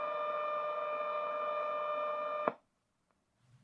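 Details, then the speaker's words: Braun T1000CD radio after repair, receiving a 17 MHz tone-modulated signal-generator test signal: the steady tone over hiss cuts out dead as the shield cover's two screws are tightened and returns when loosened; cover contact kills shortwave reception. "Boom. Dead. Loosen it. We got the signal back."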